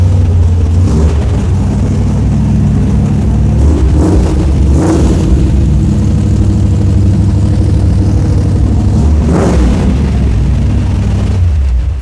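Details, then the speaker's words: 1983 Dodge Ram 1500 custom cab, 318 V8 with headers, 4-speed manual, in winter: catches instantly, blips up, then holds fast even deep cold high idle on choke, no misses or knocks; healthy. "Oh, that sounds great. Starts instantly. Choke too. works. Choke works. Yeah, it's on high idle right now, but it's cold."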